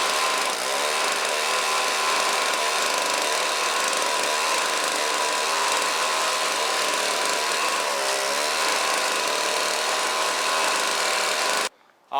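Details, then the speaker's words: Snowblower with replacement 2-stroke engine transplanted after the original seized and threw a rod, shelf-stored engine: high buzzy note holding steady and clean, no misses or knocks, then cuts off; normal running. "there we go guys runs like new"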